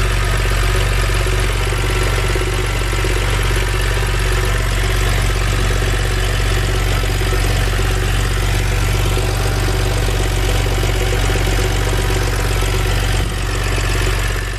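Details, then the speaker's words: BMW N52 after valve cover and Valvetronic motor gasket replacement, restarted after smoke from oil drips on the exhaust: a steady, even low idle with no knocks, misses or ticking over fifteen seconds. Normal idle. "we knew that the engine fired up with no issues then i went ahead and reinstalled everything back to how it should be"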